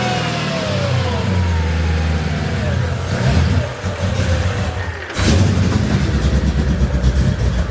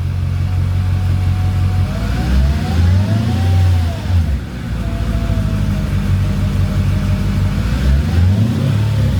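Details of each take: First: Mercedes CLK55 AMG with M113K swap, new Hellcat fuel pump, rail pressure about 55–62 psi, cold start; surging uneven revs dip, sharp backfire pop, then pick back up; owner suspects sitting unused, cause unclear. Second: Mercedes CLK55 AMG with swapped M113K V8 after Hellcat fuel pump install, not yet warm: throttle blips rise and fall smoothly with no whine rising with revs; no weird pump noises, pump fine.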